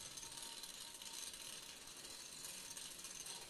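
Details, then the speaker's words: Small solar wind turbine turning again after maintenance, gearing lubricated up in the nacelle; fine, even gear-tooth rattle as the teeth mesh, the earlier squeal now gone. "man hört nur noch das gerippe und geratter der zahn werde jeder übereinander laufen das quietschen hat aufgehört"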